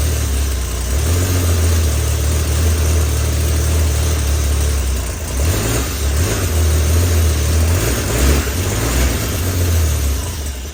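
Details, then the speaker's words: 1976 mail Jeep's rebuilt engine at first start; petrol idle with a low rumble swelling on light throttle blips, fairly steady; runs well, though oil later poured out the back of the motor during cam break-in (plug or seal suspected). "well it runs kind of all right well we did get a running"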